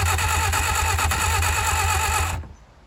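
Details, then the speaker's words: 1959 Reliant Regal Mk5/Mk6 three-wheeler, first start attempt in over 20 years, after cleaning and regapping points, distributor top bearing has play: starter whir with rough uneven pulses and weak splutters, barely firing. "I think she might have just fired. I think she might have just spluttered. I think she's trying. Oh man, she's trying. She is firing."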